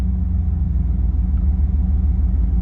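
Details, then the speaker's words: Normal idle with AC on in a 1991 car with a 305 TBI V8 that bogs when warm: deep, steady idle with even pulses, RPM rising properly with AC, no miss and no vacuum leaks. "I put the AC and even with the the air conditioning, which by the way, this car has air conditioning. You can hear the the RPMs go up like it's supposed to. So, and it there is no miss."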